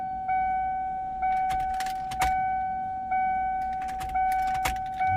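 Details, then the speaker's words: 1995 Mustang Cobra (SN95) with a 331 stroker, sat for a while: the newly reinstalled fuel pump gives a loud whine at the rear while the key is cycled, each prime starting strong and sagging slightly. Normal priming. "Oh, yeah. Hear it nice and loud right back there. Cycle the key about five to 10 times. Hear the pitch change."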